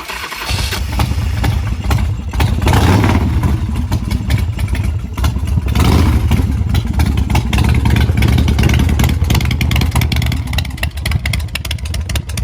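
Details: UltraCycles 120 hp V-twin chopper, started right after an oil change: engine catches within half a second and settles into a deep, loping idle with no knocks or rattles; runs healthy.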